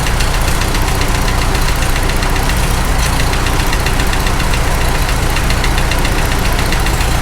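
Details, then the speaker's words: Farmall H tractor on first start after engine rebuild: faint regular top-end tick in time with steady low idle; noise goes away when a suspect component is held with a screwdriver, cause suspected but not confirmed. "hit this one again noise goes away when you hold that well I think we're zeroing in on it anyhow"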